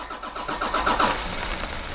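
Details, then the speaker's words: 1991 Ford F350 with CAT 3126 diesel swap, new lift pump and filter head fitted: starter churning with uneven catching pulses that never settle into a run; starting to smoke and get fuel, but air in the head keeps it from firing. "It's starting to smoke, so it's starting to get fuel. Just gotta work the air out of it."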